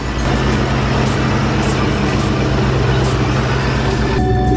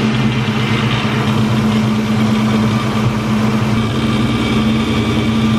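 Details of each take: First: Supercharged car after fixing a noise traced to the supercharger belt setup and alternator pulley: engine idles with a steady low drone, quiet and healthy, no rattle or chirp from the front; battery voltage about 14 at idle. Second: Supercharged car engine at idle: constant metallic drone that goes away with the supercharger belt removed. Metal shavings were found at the alternator, whose pulley was apparently slipping on its shaft from a loose nut. Loose alternator pulley.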